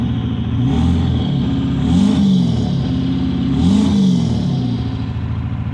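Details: 7.3 PowerStroke diesel floored, blowing blue smoke: deep roar surging with an uneven, stumbling beat under load, misfire under acceleration.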